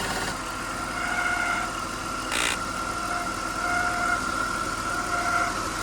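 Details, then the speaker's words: BMW E39 Touring awaiting LS swap, idling: steady thin high whine from power steering pump, went quiet after being oiled; fluid had flakes and system was then bled of air. "that's power steering although it did get quiet"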